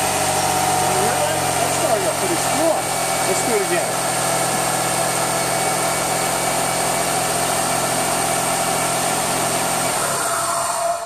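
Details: 2000 Lexus RX300, 1MZ-FE V6, start after starter motor replacement: brief starter whir, then the engine catches promptly and settles into a smooth, even idle; a healthy start.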